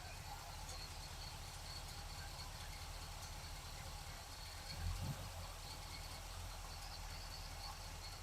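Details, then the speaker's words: 1947 Ford street rod on a hot day, choke opening: steady, even low rumble with no stumble or skipped beats. Healthy V8 idle, running much better than before. "Okay. We're good. Choke is opening up nicely. Sure is running a lot better."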